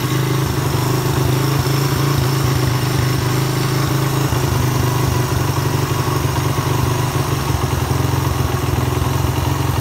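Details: Suzuki Satria F150 after adding a ground wire to the engine: deep, steady thumping idle with a brief pick-up midway, pulling cleanly without hesitation; revving problem traced to the ground, possibly corroded, bike running right.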